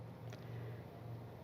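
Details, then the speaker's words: Car with an engine vibration problem, just after the engine mount was replaced; idling with the AC off and a glass of water on the steering wheel as a vibration test. Very quiet, steady low hum with no shaking, thumps or rattles, far smoother than before. "வேற லெவலில் சைலண்ட்டாக இருக்குதுங்க. ஏன் car தானா அப்படின்னு எனக்கே டவுட்டாக இருக்குது."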